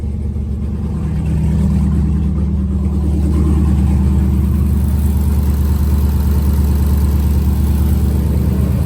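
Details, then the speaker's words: Jeep SRT8 with 392 Hemi V8, first start after fuel system work, coolant low and temp reading about 88 degrees: deep smooth rumble swelling slightly under load then settling into a steady, even idle without ticks or knocks; healthy. "Man, she sounds good. Oh, she has a load on her now."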